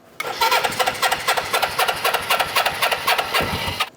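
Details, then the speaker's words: 1980 Suzuki GS450 barn find, just revived: fast, uneven popping exhaust, running rough on its own, while fuel drips from the carburetor. "dude how fantastic is this car is dripping"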